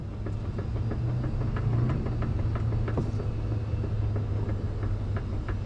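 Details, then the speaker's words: BMW E90/E92 on a hoist: sharp clunks two or three a second over a low rumble when the right tie rod is wiggled and pushed up. The likely cause is a worn steering rack thrust piece. "i'm thinking it's the thrust bush all right all right so i'm pretty confident it's that thrust piece or bush whatever the hell it's called"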